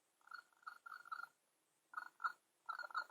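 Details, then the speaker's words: Small diaphragm water pump powered at 5 V through a MOSFET switch, running dry with no water connected: short bursts of thin, high whistling buzz as it sucks in air, vibrating but working. "see that one kind of vibrating and you can hear it too that's a if you hear that that's like a whistling sound so it's you know sucking in air and causing it to sound like a whistle for this one"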